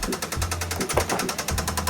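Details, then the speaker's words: BMW E60, 2008, manual, bought from auction: at idle a loud, fast, even internal knock, about a dozen sharp raps per second, with possibly some smoke and no check-engine light; cause unknown. "Ну що ж, а моторчик то у нас стучить. Що це стучить? Щось сильно чить."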